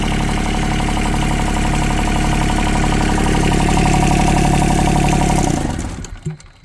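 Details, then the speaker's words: Yanmar 3TNV70 three-cylinder diesel (ex-JD Gator) just swapped into a CAT 300.9 mini excavator, idling at about 65°F: steady smooth clatter, no misses, no smoke, then shut off and winding down; healthy idle. "But yeah, sounds good. No smoke. Yeah, it's running good. Real quiet. No smoke."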